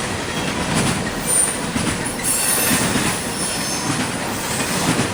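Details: CSX intermodal freight train passing in Georgia: rolling rumble with a thin, high screech coming and going; wheel squeal against the rail.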